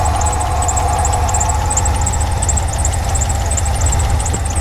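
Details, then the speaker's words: 1989 Ford F150 being revived, now running after spraying down into the intake: low, steady rumble at about three pulses a second, no misses, holding speed on its own. Normal idle. "Well, that did the trick. Take it up the house there and uh finish cleaning the garage out."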